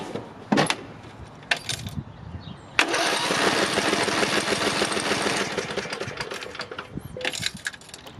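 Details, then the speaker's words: Craftsman 18.5 HP lawn tractor (917.273811) with Briggs & Stratton 18.5 Intek, spark plug removed: about four seconds of fast, even cranking with no drag. Nothing mechanically binds; the quarter-turn binding was compression, fixed by valve adjustment. "So, that's proof that there's nothing mechanically binding the engine. It is the compression."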